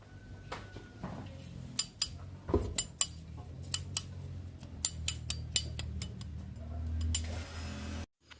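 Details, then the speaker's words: Honda Beat CVT scooter with squeal when throttled; removed automatic clutch bell tapped, ringing and rattling from its loose protective plate and rivets; fixed with super glue and baking soda. "nah suara nyericit itu ditimbulkan dari mangkokan kopling otomatis tadi ya itu di bagian mangkoknya sama di bagian plat pelindungnya longgar panteknya longgar"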